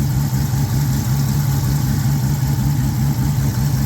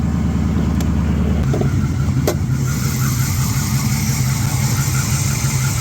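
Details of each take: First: Mopar petrol engine idling after the noisy idler pulley was replaced: steady, even, smooth low hum with no squeal or chirp from the belt; normal idle, noise gone. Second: Mopar engine started and idling before repair: faint rhythmic whirring chatter over the running note, found with a mechanic's stethoscope to be a noisy idler pulley bearing, then replaced.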